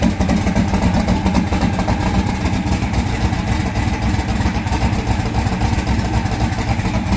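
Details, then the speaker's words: Austin's car at idle, one cylinder not firing per temperature check, coil, spark plug or injector suspected: steady idle with uneven stumbling pulse about 220 beats a minute; misfire. "Cool's not even firing some reason. So, coil, spark plug, or injector."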